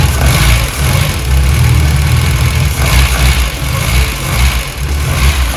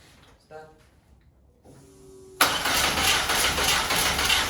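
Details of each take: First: VW Golf 1, throttle worked by hand with no cable fitted: the engine catches and settles to a steady idle with a few blips, running evenly with no misfire or knock. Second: VW Golf 1 with a 2 L 8-valve engine at first start. After a quiet pause the starter churns at a steady, rapid rhythm but never catches. Crank-no-start, believed due to the distributor sitting too far out, not seated, with its clamps out of place.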